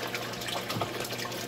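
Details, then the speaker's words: Aquaponics 100 L system, unmuffled bell siphon drain kicking in: steady rushing, gurgling water splashing hard. It aerates the fish tank but is noisy and splashes water out, before a muffler was fitted. "Well, as you can hear, they're noisy. They splash water"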